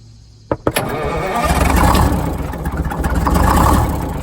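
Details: Detroit Diesel 6-71, first start after new 4-valve head and Davco 382 fuel filter install, valve cover off: brief cranking, then catches and settles to even, steady idle; idle set via buffer screw, good oil pressure, oil drip from a missing bolt; normal idle.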